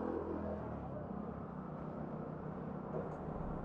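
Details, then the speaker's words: Used Suzuki Ignis at idle with AC switched on: steady low rumble stays stable with barely any vibration, compressor hiss audible, no hunting, misses or knocks; healthy idle with AC load. "Jadi mesin ini benar-benar masih sangat bagus karena begitu dinamo AC dihidupkan, dia semprotan kompresor freon-freonnya itu langsung keluar. Jadi terdengar cis tadi itu."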